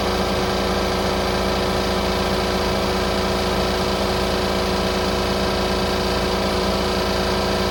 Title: Toyota Diesel under engine bay rattle noise #2